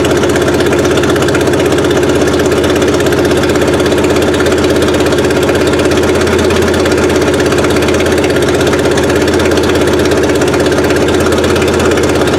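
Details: Suzuki Sidekick after swapping the old 8-valve engine for a 16-valve, first run with distributor timing set around 8 degrees BTDC: steady, slightly lumpy idle with an even low pulse about three per second; holds idle fine.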